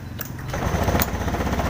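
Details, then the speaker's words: Honda Beat eSP scooter idling normally with an even, low putter and no misses. The owner reports it stumbles on light initial throttle but runs fine at full throttle. "stasioner Dia normal Enggak ada masalah ya untuk stasioner ya"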